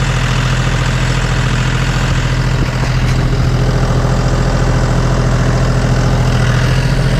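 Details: John Deere 5205 tractor diesel after a Stanadyne DB4327-5913 injection pump replacement: a steady, even idle with a low, regular chug and no knocks or misses. No leaks are seen, and it sounds really good.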